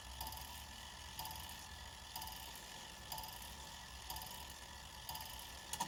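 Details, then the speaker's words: Badische striking alarm clock after repair, on a cold day, partly assembled with the regulator adjusted: evenly spaced strikes about once a second counting 11 over a light tick, each clean; the strike train is working and synchronized. "that was 11. That's good. Okay. Well, that's good then. So we know that's all synchronized."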